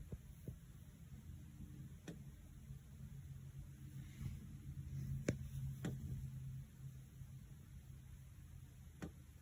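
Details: Maronda Homes house heating running this winter: low steady blower hum with sharp irregular ticks every second or few through living room wall and all room vents; ticking noise in heating ducts, cause not pinned down.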